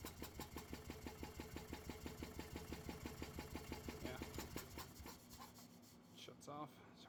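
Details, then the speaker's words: Gas Club Car golf cart, battery connections cleaned, no start even with starting fluid sprayed in after airbox removal: steady starter cranking about three beats a second that never catches; fuel not reaching engine, stuck carburetor needle and seat. "well I guess what's next is pulling off that carburetor and going through it and see why it's not getting fuel where it needs it"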